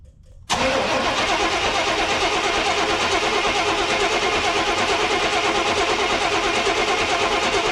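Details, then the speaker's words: 1991 GMC Suburban, 5.7 TBI V8, sitting 10 years, battery won't hold charge: starter grinds about three turns a second for seven seconds and never catches, with no fuel pump heard; fuel pump relay or fuse suspected. "okay so basically I don't hear the fuel pump kicking on at all but I can barely hear anything over the key being so loud"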